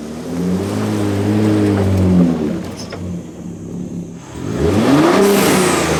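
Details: 2023 Ford Raptor 3.5L twin-turbo EcoBoost with newly installed Turbosmart vent-to-atmosphere blow-off valve (TS-0225-1001) replacing factory diverter valve, after install: revs climb, sharp airy whoosh as throttle snaps shut, revs build again; normal venting.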